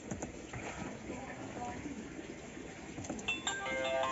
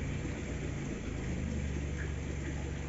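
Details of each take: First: Subaru Forester: starter churns in repeated bursts but the engine never catches or fires; crank, no start. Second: Subaru Forester that earlier cranked but wouldn't start, now running; an even, steady low rumble with no misses, knocks or stumbles, a smooth normal idle.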